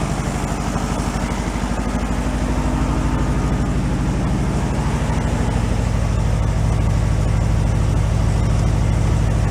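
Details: 1968 VW Beetle air-cooled engine, sat 5 years and still on old gas, catches and settles into a steady, even idle around three beats per second with no knocks or misses; good oil pressure, sounds healthy.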